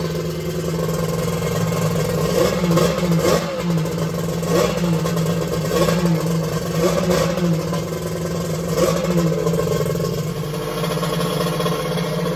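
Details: Two-stroke X2 with a hard-starting problem, after starting: steady mid-pitched buzz with repeated revs and light clatter, running cleanly; warmed to about 150°F on the front cylinder and 186°F on the head.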